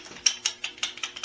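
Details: Old Ramset Cobra .27 caliber powder-actuated tool (modeled on Hilti DX350), overdue for tune-up: sharp, uneven metallic clacks about five a second as the tool is worked; the worn mechanism rattles loosely.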